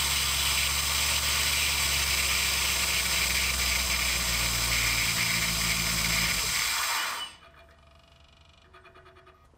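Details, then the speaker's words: Biscayne with aftermarket 92 mm throttle body (stock about 72 mm): thin steady high whistle over quiet idle, throttle plates fully closed, air rushing through the tiny idle air control port, original factory IAC fitted, after enlarging the port; whistle worst on fast idle, fading when warm. "now I have the throttle plates closed down all the way right now just some more errors going through the idle air control motor to amplify the sound because it's not making it nearly as much now as it was the other day"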